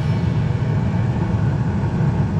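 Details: Bryant 926 series two-stage gas furnace with variable speed blower on high fire, checking temperature rise, 45°F within 40–70 spec: steady, even low rumble with no surging or pulsing; running normally.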